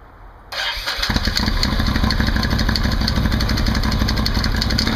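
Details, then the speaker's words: Can-Am Outlander 800 ATV just after installing a Highlifter 3G belt made by Dayco, started to seat the belt: quick start, then a steady even idle with no slipping squeal or flapping; belt tight and pulling well, normal running. "Fairly simple install. Belt's nice and tight. Seems to be pulling well."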